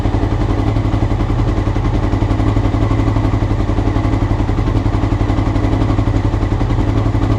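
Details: Honda CBR motorcycle, clip from before the float needles were changed: lumpy, uneven idle pulsing about four beats a second, never settling into rhythm; rough idle, cause suspected, not confirmed.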